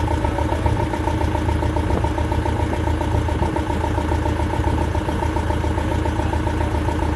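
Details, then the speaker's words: Land Rover Defender Puma 2.4 TDCi, first start after rebuild with new wiring loom and oil pump, fuel system bled: starts well and settles into a steady, even, smooth diesel idle with no knocks or misses. "what quite pleased that our well that started very good very good"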